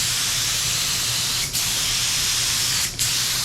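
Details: DeVilbiss FLG4 paint spray gun, after acting up with paint suspected too thick or clogged: steady even atomizing hiss with no sputter; no more spitting, clog apparently dissolved.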